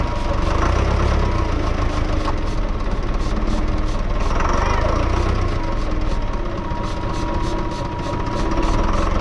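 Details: Lull Highlander 844 telehandler diesel, sitting about three years, manual primer and starting fluid used: slow labored cranking with heavy low rumble, then catches into rough uneven run, blowing out water; hard start after storage.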